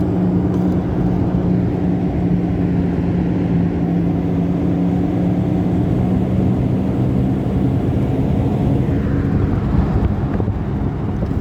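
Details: Toyota RAV4 in-cabin while driving: steady low droning rumble from a damaged rear left wheel bearing, with slight vibration felt.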